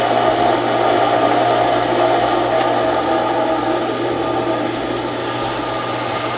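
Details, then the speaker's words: Outside water pump drawing from the lake through a foot valve, being primed after repairs; steady rough hissing rush over motor hum with no solid water note as the pump loses prime and cavitates. "so it's you can hear the pump cavitating now because it's lost it's prying"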